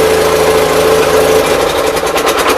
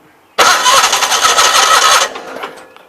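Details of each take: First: 816 tractor idling out of gear after new loader hydraulic hoses were fitted: steady mid-pitched chatter with a constant hum, no misses or surges. Runs really good. Carburetor still to be worked on. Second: 816 tractor starts, runs ragged about 1.5 seconds, then fades and stalls; won't stay running. Fuel was spraying out the back of the fuel pump, which the owner plans to replace; link to the stall not confirmed.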